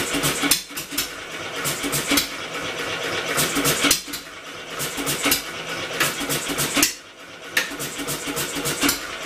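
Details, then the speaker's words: Homemade double-expansion four-cycle engine built from a two-cylinder air compressor, belt-assisted by an electric motor: fires in busy bursts that drop out every second or two. Ignition cutting out; trigger magnet too far from sensor. "ignition quit well dang now what okay looked like the problem was the magnet was a little too far away from the sensor"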